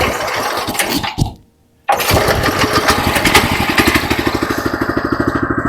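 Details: DK2 18-inch gas trencher: after a brief cutout the small engine settles into a steady, even chug of about three beats a second, running normally.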